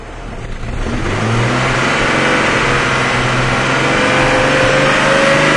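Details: 2004 Jeep Laredo, 4-liter, about 271,000 miles, with P0171/P0174 lean codes, random misfire and very high fuel trims: engine revs up and holds high with a slightly uneven, unsteady note, a lean stumble pointing to a vacuum leak.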